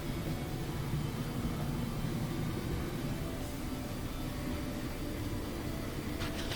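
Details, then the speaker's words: Frigidaire dryer after rear drum bearing replacement for metal-on-metal squeal: steady even tumbling rumble with no squeal, back to normal. "So this is power failure PF, just press cancel and then pick a cycle and then start it. That sounds much better."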